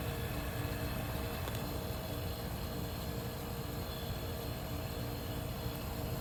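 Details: 1973 Westinghouse 25-pint heavy-duty dehumidifier, just acquired after sitting in a cabinet shop, running normally: quiet, constant low hum with a faint airy hiss, no knocks or rattles; motor smooth and balanced.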